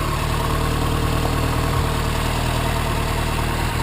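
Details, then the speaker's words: "3A" four-cylinder petrol engine just started after tune-up with new spark plugs and new oil: steady, even idle with smooth low thrum, no misses or knocks, much nicer than before; normal idle. "That is big difference. That's no. That is much nicer. That is like running like a kitten."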